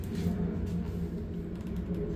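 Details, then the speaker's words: Refrigerator-freezer just plugged back in after evaporator fan motor repair for a freezer not staying cold: compressor kicks on and fans run, a steady low hum, smooth and healthy; normal running. "You hear that sound? Compressor kicked on, fans running,"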